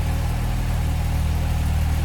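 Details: 1970 Jaguar XKE 2+2, out of long-term storage, idling, heard from the back of the car: even, low, steady six-cylinder idle with a smooth regular beat, no misses, knocks or ticks; normal idle.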